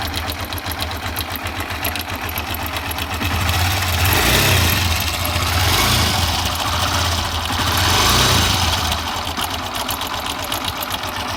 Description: rattling sound of timing chain because rubber in tensioner is worn out....